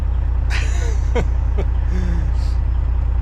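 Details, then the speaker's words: Kenworth cabover diesel truck idling: low, steady even beat, no stumble or burble, running smooth as it should, check engine light out after running diesel clean through and warming it; owner guesses a stuck or gummed injector cleared itself. "But now when I hit the throttle, it doesn't burble. It's like smooth, you know, like it's supposed to be."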